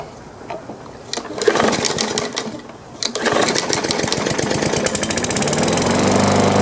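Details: Lawn mower with a bent crankshaft partly straightened, a new blade adapter, a regapped magneto and a carburetor or fuel hose leak: a few pull-start tries, then it runs at a fast, slightly uneven beat, smoothness uncertain; rough running, cause unconfirmed.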